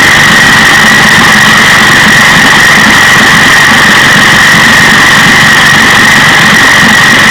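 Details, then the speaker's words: 1956 Johnson 15 HP outboard two-stroke running: loud buzzy note with uneven sputtering; after spark work the miss moved from bottom to top cylinder, timing light shows top cylinder missing fire. "all right so to me that's pretty good pretty steady spark you can hear the motor sputtering as it runs"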